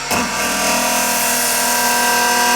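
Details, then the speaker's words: Lathe turning an ash/maple segmented bowl, hollowing the inside with a carbide detailer (glue hub, waste block, tailstock support). After raising the speed to cure thumping, a steady, even hiss of shavings over a constant spindle hum, no chatter; smooth cut. "Hopefully you can hear this on the video. It's way better."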